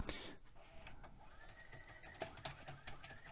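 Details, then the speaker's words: Vintage VCR struggling on rewind because of a worn, slipping idler tire: faint wavering squeal with scattered clicks. "Yeah, you can see it's really struggling to uh to rewind because of that that tire we saw."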